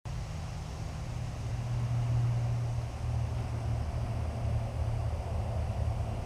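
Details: 1947 Ford 8N tractor after replacing worn distributor rotor shaft with used part and refitting points: starter turns engine with steady low chugging, about four beats a second, never fires; cause unknown.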